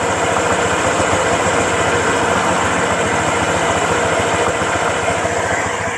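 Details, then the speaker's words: Honda Vario 125 scooter after 5 months and 5,125 km, ridden gently at 60–80 km/h; smooth, even steady buzz with no knocks, rattles or ticks, engine still like new; normal running. "nah ini untuk suara mesinnya Saya rasa ini masih aman-aman aja ya"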